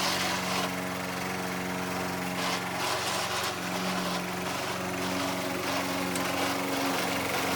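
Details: Old Toro Recycler mower with bad transmission, mowing grass: steady engine drone with rough gritty grinding underneath from the worn drive transmission.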